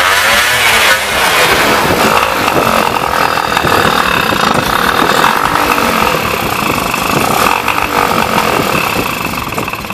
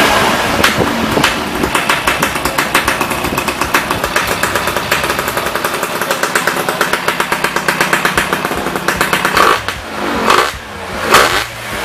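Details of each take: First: Yamaha Y110SS two-stroke motorcycle after cylinder boring and new piston rings: loud buzzy idle still surging and sagging irregularly; likely blocked carburetor, to be removed and cleaned. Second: Yamaha Y110SS two-stroke after repair of worn cylinder and carburetor cleaning: crisp, fairly steady idle popping, then a few throttle blips rising and falling cleanly; idle now normal.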